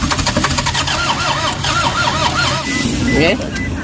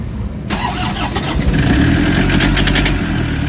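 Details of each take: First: Toyota HiAce common-rail diesel: starter spins the engine in two long cranking bursts at steady speed, but it never fires. Crank no start with codes P0087, P0107 and P0400; scan shows low fuel rail pressure. Later fixed. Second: Toyota HiAce common-rail diesel with codes P0087, P0107 and P0400, after timing was set: brief crank, then it catches and settles into a steady, even idle with no misses. Crank-no-start fixed; starts and runs normally.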